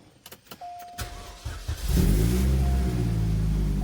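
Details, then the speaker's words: 2006 Chevrolet Cobalt SS, supercharged LSJ Ecotec, test start right after new spark plugs gapped to 0.035: short crank catches cleanly into an even, steady idle with no stumble or misfire; runs the same as before. "Still runs the same."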